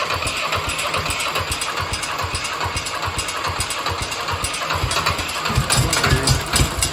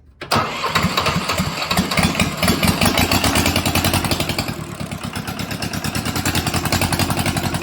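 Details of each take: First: Mitsubishi D1800 II diesel after replacing the cracked cylinder head with a used one, valve clearance 0.015 in, at about half throttle with exhaust stack and muffler: even, steady clatter, no knocks or misses; running healthy. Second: Mitsubishi D1800 II diesel, first start after replacing cracked cylinder head, glow plugs used: catches after cranking, then pulses unevenly and hunts at idle; rough running and surging, owner suspects air in fuel system or governor issue.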